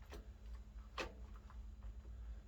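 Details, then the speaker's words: 2005 Yamaha TTR 90 kickstarter one-way sprag clutch turned by hand, sparse light clicks, grabbing only sometimes; slipping sprag bearing, no kick start. "sometimes it'll grab it sometimes it won't as you can see that one-way bearing it grabs right there that is weird"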